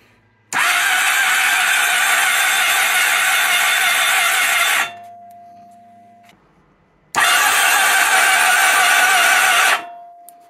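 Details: 1997 Honda Pan European ST1100 motorcycle, neglected and cranked on a jump pack: two bursts of strong, even high whirring, each a few seconds long, with no firing; the starter spins the engine freely.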